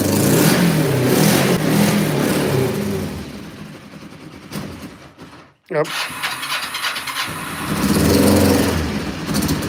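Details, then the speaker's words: Cold motorcycle started with about 5 inches of snow on the ground: rough, uneven revving with a stumbling beat that briefly dies down; owner thinks it is running on one cylinder; suspected misfire, later running perfectly. "Sounds like it's only running on one cylinder. That one's firing."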